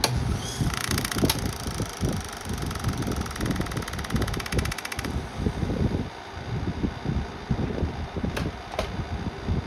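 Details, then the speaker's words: Antique Delco repulsion-induction motor (Frigidaire), roughly 1920–1945, first run: fast, uneven chattering rattle over the motor's steady whir. The brush barely moves and rattles; cause unclear. "See that brush look? It barely moves. Oh, and that's is that is what is rattling."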